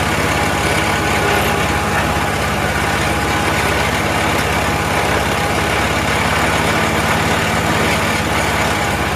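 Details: Troy-Bilt 22-inch front-wheel-drive self-propelled mower, 4HP Briggs Quantum, first run after a few pulls. Fast, fairly steady pitch with a slightly uneven beat and heavy muffler smoke, possibly dripped oil; oil checked good, owner suspects carburetor needs cleaning.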